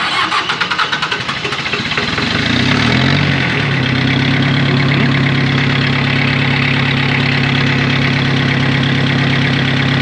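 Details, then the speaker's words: Mitsubishi MT2201 2WD rear-drive diesel mini tractor, 585 hours, glow plugs briefly preheated: catches quickly after a brief crank and settles into a steady, even idle in neutral with no knocks or extra noises. "ровно работает четко нейтралочке все смотрим работает ровно без лишних Шумов"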